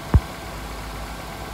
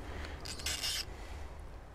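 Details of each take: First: 2006 Honda Accord Tourer (7th gen) idling after first spark plug change to NGK plugs; short stretch of steady, even low idle after one small knock at start, no misfire or stumble; normal idle. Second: Honda Accord Tourer (7th gen), spark plug being removed with cold engine and extra-long wrench; quiet metallic scraping squeaks in short bursts, like metal being dragged; owner fears damaged thread, cause suspected, not confirmed.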